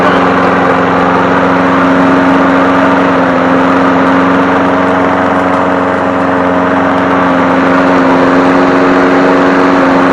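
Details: 2001 Craftsman 21-inch push mower 917.388721 after crankshaft oil seal replacement and oil change, oil slightly overfilled: small single-cylinder engine running steady and even at constant speed, no misses or knocks; normal running.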